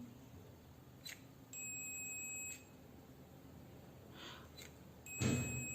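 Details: Multimeter in continuity mode across a switch's normally closed (NC) contact: a steady beep about a second long, a pause while the switch is pressed, then the beep returns as the NC contact closes again on release; switch healthy.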